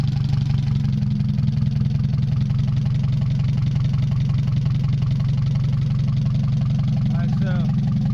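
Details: Mazda 626 first start after cylinder head reassembly, rest of exhaust not connected, oil overfilled: low uneven idle that hunts and shakes, beat wandering. Owner suspects O2 sensor misreading the open exhaust, possibly old gas. Rough fluctuating idle.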